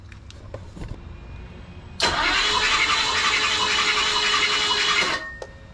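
Starter spins fast and even for about three seconds with a light, hollow whir and no firing; turns over, won't start.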